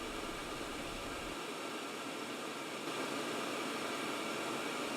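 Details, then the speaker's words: Carlin EZ Gas burner on call for heat, self-test 2: burner light and amber LED on, blower motor starts and holds a smooth, even air rush for about 30-second normal pre-purge before igniter. "The manager's burner light turns on, the amber LED turns on. The motor starts and pre-purge begins for about 30 seconds."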